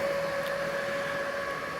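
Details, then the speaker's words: HP Z440 with EVGA RTX 2070 Super (overclocked) whose failed blower fan was replaced by a zip-tied 92 mm Delta 4800 rpm 1 A brushless 12 V fan; loud, steady mid-pitched whine over rushing air, other system fans not yet spun up; high-speed fan running normally. "It just wasn't getting cool enough. Wow, she's loud. Well, you can hear that"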